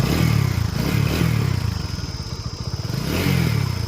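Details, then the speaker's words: TVS Apache RTR 200 4V engine at idle, about 22,000 km, no smoking: uneven clatter about four ticks a second over low idle thump; valve train noise from worn camshaft and rockers, fixed with head valve kit, camshaft and rocker unit. "So இன்ஜினில் இந்த noise இருக்குது. So இந்த நாய்ஸ்க்காக தான் வந்து பார்த்திங்கன்னா அவர் எடுத்து வந்தார்."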